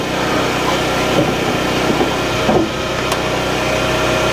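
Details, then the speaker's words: Portable generator feeding the home through a 10-circuit manual transfer switch, running with basement lights then refrigerator and microwave switched on; steady engine drone and hum holds speed as the loads come on, running smoothly under household load. "we're going to put the refrigerator and the microwave on we'll see so that one took it up so the fridge you can see see kind of came on I'm having my wife start the microwave here so we might get another bump"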